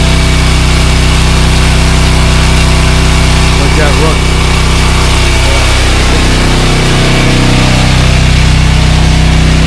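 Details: ETQ Chinese-made portable diesel generator after oil change, oil level okay and not low: steady, even diesel chug at constant speed with regular beat, no knocks or rattles; runs normally.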